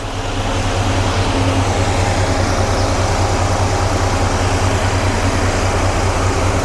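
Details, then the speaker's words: 1993 GMC Sierra C1500 with a two-speed 1994 Ford Taurus cooling fan on a newly installed Delta Current Control, switched on by the air conditioning at about 185°: steady, even low hum with soft whoosh; normal low-speed fan. "Now, I'm going to turn it on and uh the fan the low speed should kick on. All right, let's give it a try. Okay, let's see. All right, so I can hear it. I can definitely hear it."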